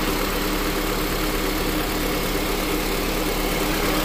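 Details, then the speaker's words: 2007 Honda Accord LX 2.4L with AC not working, after replacing the relays and during the AC recharge: the cooling fans kick on as they should, a steady even whir over a smooth idle, moving a lot of air. Normal radiator fan operation. "our fans kicked on like they're supposed to there's a lot of air going through there now"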